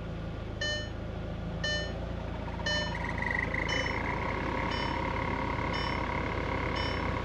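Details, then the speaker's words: Salvage-auction car with about 70,000 miles just started: steady even idle under repeated dash chimes, no knocks or misfires; possible check-engine or low-coolant warning shown; normal idle. "yeah she runs I mean sounds good"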